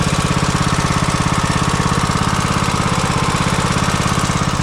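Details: Craftsman T140 MTD mower, Briggs & Stratton 18.5 hp OHV single-cylinder, after rebuild with new cam, lifters, governor and oil seal following catastrophic failure: steady, even thumping at fast idle, no misses or knocks; healthy.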